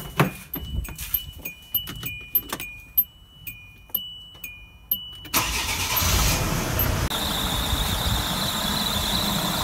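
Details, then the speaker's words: Idling car engine with sharp, high chirping squeaks about twice a second from the accessory belt area, typically after driving through water; a couple of sprays of silicone spray quiets it; exact cause suspected, not confirmed. "он, скрип. Работает тихо. Обычный силиконовый спрей, любой. Вот пару раз пшикнул, и все, и порядок."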